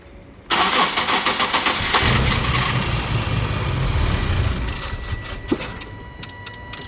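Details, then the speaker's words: 2013 Nissan 370Z, 151k km, after maintenance with the battery reconnected: the starter cranks with uneven chugging but it won't start. Suspected mass airflow sensors, needs tuning. "Leave it. Turn it off. Ignition off. It won't going to start. They need to tune it."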